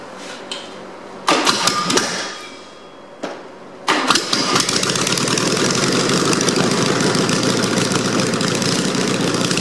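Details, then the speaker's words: Ancient 1776 cc VW air-cooled engine, sat 20 years, cold floor start after carb cleaning and valve adjustment: cranking bursts catch into loud, even open-exhaust idle with no knocks or clanks; runs healthy. "well I know she runs sounds like she runs pretty good as far as the Integrity goes there's no knocks no clanks no weird noises"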